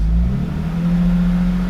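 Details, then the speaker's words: BMW E36 325 Cabrio M50 six raised a little above idle, before injector cleaning: steady low drone with a faint uneven pulse, and the car clearly shakes. Owner suspects dirty fuel injectors, unconfirmed. Rough running under light revs. "It's starting now. The car is clearly shaking a bit."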